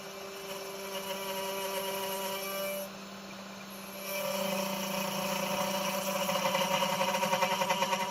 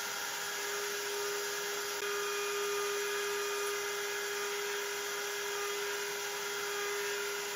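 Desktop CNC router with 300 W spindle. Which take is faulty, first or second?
first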